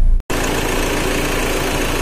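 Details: Renault Duster misfiring at idle with check engine light on; rough, uneven idle with irregular stumble in the exhaust beat, traced to a faulty engine control module (DF1018 internal fault); clearing codes helps only sometimes.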